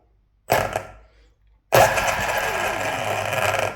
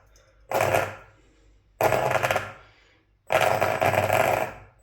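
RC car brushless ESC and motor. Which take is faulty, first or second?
second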